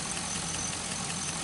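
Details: 2005 Chevy Envoy, idling after the serpentine belt and pulleys were replaced over an earlier pulley noise: quiet, even idle with a light steady patter, no squeal, chirp or rattle from belts or pulleys; healthy.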